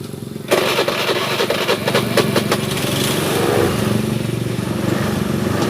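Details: Honda Beat FI 110 scooter, hard starting and unstable idle, during a fuel pressure check that read below standard until the engine started: catches abruptly and settles into an uneven, wavering, stumbling idle.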